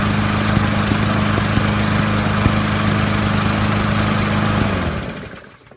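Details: Murray push mower after its plastic carburetor was cleaned to cure a no-start: a steady, even single-cylinder beat holds constant speed, then cuts and winds down cleanly; the engine runs smoothly and normally.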